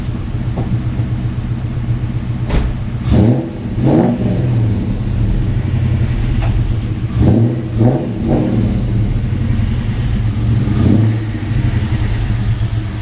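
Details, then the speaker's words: 2002 Ford Mustang GT two-valve V8 idling with new idler pulleys, tensioner and alternator: thin steady high-pitched squeal with occasional chirps over the idle, accessory belt drive squeak persists, cause unknown. "so as you can clearly hear the two valve terror behind me is sitting there squeaking its ass off with its brand new idler pulleys and brand new tensioner brand new alternator and bunch of other stuff but it just continues to squeak"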